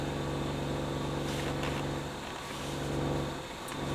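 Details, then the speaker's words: 1980s Technics RS-M230 cassette deck on test through an amplifier and oscilloscope, meters pegged and one channel silent: a steady low buzz, probably 50 Hz mains hum, in the output. A replaced chip later restored clean stereo sound. "i've got nothing on one channel and well and it's probably 50 hertz just buzzing what is that"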